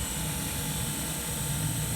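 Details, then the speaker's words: Replaced rusted-out Mitsubishi inverter outdoor compressor, after repair with new valve core and caps, first start: even, steady low hum with a faint mechanical purr and no knocks or rattles; new compressor running normally. "Just gotta wire it up and turn it on, and hopefully she'll run. And she's up and running."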